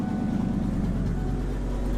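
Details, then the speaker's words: RV engine on a cold start, catalytic converter stolen: deep, heavy, boomy rumbling idle far louder than normal, like a tractor; loud exhaust from the missing catalytic converter. "fricking pricks yeah and now it sounds like a tractor and a half"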